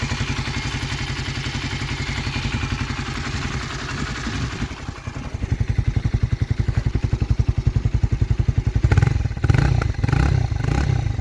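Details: Honda CBR 125 R (JC34) single-cylinder motorcycle on a cold engine: rhythmic low thumping with clattery tapping at about four beats per second. The mechanical noise's source is unclear.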